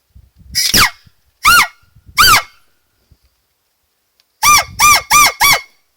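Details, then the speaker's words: 2001 Dodge Caravan 3.3 engine, air leak-down test with duct tape over the intake holes: sharp honking squawks in short bursts as pressurized air escapes past the tape; the intake valve is not fully shut and is leaking. "And right away I can tell that there is air coming out of the intake valve. Right away I can tell that the intake valve is not fully shut. That sound is the tape."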